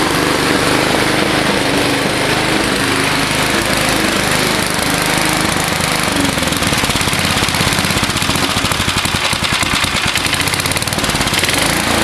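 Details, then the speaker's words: Old Gillson mower with a 3.5 hp Briggs & Stratton engine (about 1971), running after it backfired and the spark plug was cleaned. Loud, choppy, uneven single-cylinder chatter; it idles very slow, then shuts off. Rough running, cause unconfirmed. "I can make it idle really slow, but um she uh she shuts off. So yeah, what are you going to do? It's an old machine."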